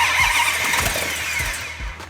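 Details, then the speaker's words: 1971 Hemi Cuda V8 with carburetors fired up after a systems check with fuel in the carbs and oil pressure: cranking catches quickly into strong even firing with no misses or knocks; healthy first start. "oh that sounded good hey hang on here that sounded good"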